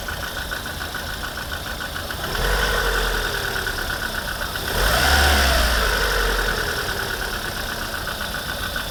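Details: Lada 21126 engine running with a foreign knock: a fairly regular knock about four per second riding over the engine note and rising as revs pick up; source unclear. Engine knock.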